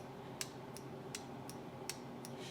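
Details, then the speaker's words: 1975 Triumph TR6 J-type overdrive solenoid, bench-tested after cooling from boiling water: crisp light clicks about three per second as the plunger moves freely again; it sticks open when hot, so overdrive works cold but fails warm. "so the thing is when it got stuck it got stuck in that direction which means it got stuck open now it works just fine"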